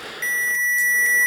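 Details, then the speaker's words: Continuity test across two parallel resistors on LG 60PC45 TV power supply: steady high unbroken meter beep showing low-resistance path, reading about 7 ohms, normal, unlike the open burnt resistor found earlier. "but as you hear the meter beeps so and there's two in parallel here so the ohms might not be exactly 10 um but it might be close to that"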